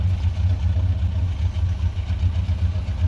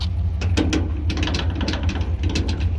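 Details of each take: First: GMC Sierra 1500 pickup at idle, suspected loose tailgate cable. Low, even idle rumble with no squeak or chirp; the earlier squeak appears fixed. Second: GMC Sierra 1500 pickup at idle with irregular sharp high squeaks and ticks from the bed area; the owner suspects a loose tailgate cable or bed hold-down strap. He plans to tighten the screws and apply WD-40, or else replace the cables.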